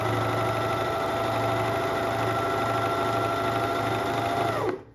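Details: Dorina Overlock 710 serger after cleaning and reassembly, motor refastened after it had worked loose: steady, even whir with a constant tone and no knocking or rattle until it is switched off and spins down; runs normally.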